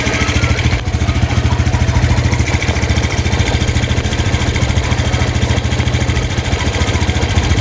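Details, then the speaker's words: 2019 Yamaha Jupiter Z1, kick-started because the battery is dead; idle with a steady low thump and faint ticking, noise from the front; owner reports noise from right side and front, plus morning smoke; cause unclear. "Jadi sumber bunyi itu ada dua sisi saja, dari samping kanan dan dari depan."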